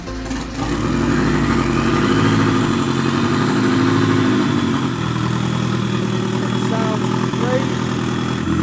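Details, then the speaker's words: Mazda Miata drift car with turbo plus supercharger twin-charging and 640cc injectors, first fire-up before tuning and needing a bigger fuel pump: loud, uneven note with idle hunting and stumbling; rough running. "it sounds crazy it's pretty insane yeah it doesn't run all that great yet so we got a lot of tuning work to do"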